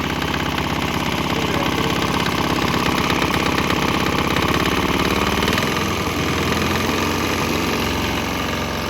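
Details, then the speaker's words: Swan X 165F Chinese single-cylinder diesel on a shipping crate, running on used canola fryer oil: even chugging, brief tempo shift around six seconds, then settles; running fine, exhaust smell changed. "you would think that the canola oil would made its way all the way in, and yeah, it seemed to be running fine."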